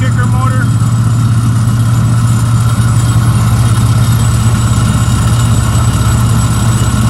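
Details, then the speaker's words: 2015 Isuzu Tymco sweeper truck, auxiliary motor running with vacuum on and sucking air: steady deep engine drone at even speed with air rushing behind it; sounds great, normal running. "It's running. Sounds great."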